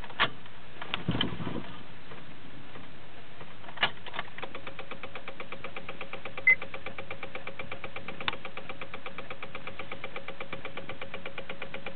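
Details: 2006 Honda Civic won't start: fast, even clicking of about ten to fifteen per second while the key is held, with no cranking and no start.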